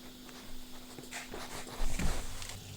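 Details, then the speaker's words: Whirlpool 6th Sense WIC3C26P dishwasher with H fault (faulty flowmeter): circulation pump running empty with low hum and light clatter, normal current-measurement check for water left in tub. "ça c'est le bruit de la pompe de cyclage qui tourne à vide et qui vérifie par mesure de courant s'il reste de l'eau dans la cuve ou pas c'est normal"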